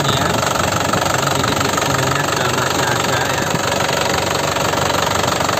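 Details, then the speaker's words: 2012 Isuzu Panther LS turbo manual diesel, about 70,000 km, rarely used, factory-original sealed injection pump; even crisp idle clatter about two or three beats a second, no uneven knock or miss; healthy idle. "Ini suaranya benar-benar enak nih loh. Benar-benar renyah gitu ya."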